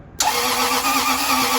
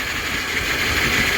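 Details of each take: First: Toyota with starter under the intake, reassembled after starter replacement and intake manifold gasket job; starter spins engine briskly about two seconds, catches and settles into steady idle: healthy cranking and start, minor fuel leak noted. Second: Toyota engine after intake manifold off, starter replaced under intake, first start: steady idle with constant airy hiss over the engine note; mechanic suspects a leak between two parts, not confirmed.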